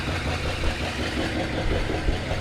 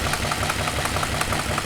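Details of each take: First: Truck with a 390 V8 and Flowmaster mufflers, with an exhaust leak and a twisted alternator belt on its bracket. Deep, steady, even rumbling idle with no knocks or misses: it runs well. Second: Junker donor car with Flowmasters, started after sitting on a battery charger and possibly flooded: sharp, even ticking about five or six times a second over a steady idle, from an exhaust leak. The engine otherwise runs well.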